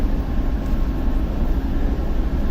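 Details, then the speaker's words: TEP70 0237 diesel locomotive V16 engine, start after repair, not yet warm after 2-3 minutes running, compressor off: low, smooth diesel drone at steady idle with no knocking or hunting, almost no smoke; normal idle. "Ну, дизель еще не нагрелся, он поработал у нас 2-3 минуты. Ну и дыма практически нет после ремонта. Работает как тихо."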